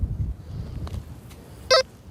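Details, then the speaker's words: XP metal detector in a field: one short mid-pitched beep cutting off abruptly over outdoor hiss, a choppy broken signal and double beep; a sure sign of an iron target. "There's a double beep. Sure sign as iron."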